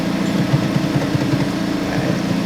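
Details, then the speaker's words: Honda Civic Type R FL5 started after a DIY transmission fluid change, engine light on: low idle with uneven, lumpy pulses instead of a steady beat; erratic because the intake sensor was left unplugged. "So, I just turned on the car and I know exactly why everything is spazzing out is because I forgot to plug this back in to"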